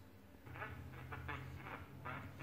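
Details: 1931 RCA P31 battery portable radio: short raspy, honking bursts over a low hum, audio badly distorted; owner suspects a tube or a capacitor, not confirmed.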